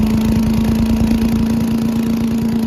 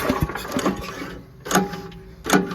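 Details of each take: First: Old Giant Vac leaf blower with a 1982 8 hp Briggs engine, long stored outside, on a cold day. After water was cleaned out, it gives a steady, even drone at constant pitch with no misses or surging: normal running. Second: Old Giant Vac leaf blower, on full choke and full throttle: several recoil pulls give short whirring bursts with no firing. The spark plug gap is found bridged by a speck of fouling.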